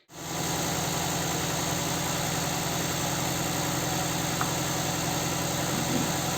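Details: Nissan Sentra 1.8: idle with a low uneven throb, shaking, lost power and a puffing exhaust beat; cylinder two dead, coils and plugs swapped without change, its injector gets no injection pulses.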